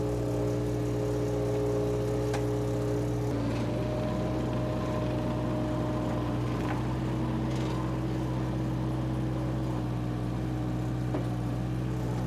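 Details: Power Trac 1850 diesel tractor/mower, just revived after all fluids were changed, running under load with the mower turning: a steady, even diesel drone with no misses, knocks or hunting. The engine is healthy.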